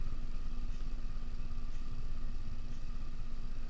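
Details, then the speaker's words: 30-inch Canarm Twister ceiling fan dated 1998, on medium speed (roughly 130 RPM): constant low rumble with a faint steady tone and scratchy hiss. Loud, scraping bearing noise is present at every speed. "I really don't like the fact that the has a really loud bearing noise audible on every speed definitely"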